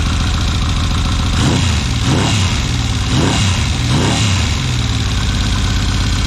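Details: 1979 Yamaha XS750S rebuilt engine, after preloading and locking the timing chain tensioner: steady low rumble with slight rhythmic rises, no rattle; idles evenly and healthy.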